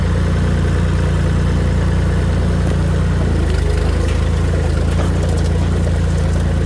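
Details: Tractor after installing new Tractor Supply muffler with welded support, replacing rotted-off one; steady even low drone under light work, no knocks, rattles or exhaust blowing, much quieter; normal running.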